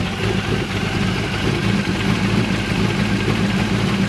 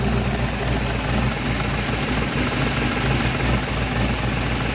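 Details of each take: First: Chevrolet Malibu small-block V8 just fitted with a new top end (heads unchanged), run without air cleaner; steady, even idle with smooth low rumble, no knocks or misses. Normal idle. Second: Chevrolet Malibu small-block V8 after new top end installed, idling with oil pressure above 40: steady lope with a light fast tick, attributed to noisy valves as rockers are not yet adjusted.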